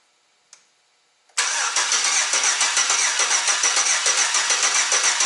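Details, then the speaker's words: Shop service truck's newly installed engine on first start, fluids topped off and A/C charged: cranks briefly, catches cleanly and settles into a steady, even idle with no knocks or misses. Normal start and idle. "settle everything down sounds really good then i'll recheck all the fluids and everything"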